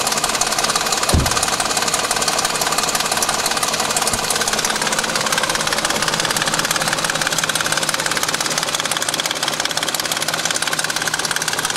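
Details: 2000 BMW 740iL idling: fast, light, steady ticking that stops around 2500 rpm and up; owner suspects chain guides or VANOS, not confirmed.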